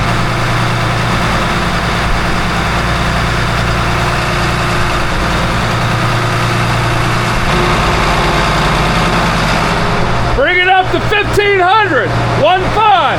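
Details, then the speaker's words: Port engine of 47 ft Carver motor yacht after the grinding from a metal-to-metal bearing was dealt with, brought up to 1000 rpm: deep steady diesel drone, no grinding, squeal or knock; no more noise, belt flaking gone. "No more noise."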